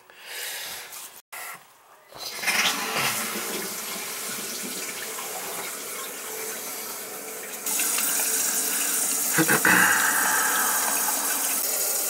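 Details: Toilet after new wax ring and adjusted fill valve: steady rush of water refilling the tank with faint hiss, clean shutoff with no bang; bolts dry, no longer leaking, leak was fill valve/supply not wax.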